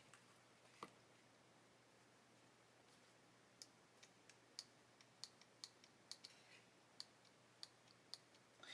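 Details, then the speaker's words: Hachette Avro Lancaster B.III model propeller motor on test battery/circuit board: faint irregular dry clicks over low hum as motor tries to turn but stalls; motor housing may be fitted too tightly. "I can hear the motor clicking, so it's trying to turn, but it can't."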